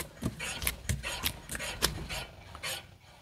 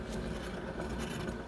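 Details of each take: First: 250,000-mile Eclipse GSX, after replacing rear wheel bearing: hand-spun wheel gives only a light repeating brake-pad rasp, no bearing growl or rumble; brake noise normal, bearing healthy. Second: Mitsubishi Eclipse GSX with 250,000 miles, passenger-side wheel spun freely before the bearing replacement: steady gritty rumbling scrape from the worn wheel bearing; silent after the new bearing was fitted.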